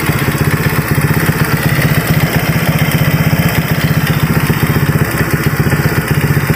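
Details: Honda Vario 150 keyless scooter that would not start, fuel pressure normal at about 40, after repair with radiator coolant refilled: steady single-cylinder putter at about four firings a second, even with no knocks. Healthy idle.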